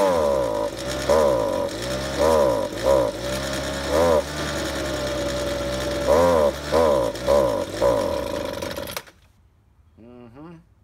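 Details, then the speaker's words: Ryobi handheld two-stroke leaf blower pulled from the trash, old fuel purged, choked and started: revs up then sags and stumbles repeatedly under throttle and won't rev; bogging, carburetor adjustment suspected. "when I started mucking with it pulling that trigger was bogging up and ran terrible"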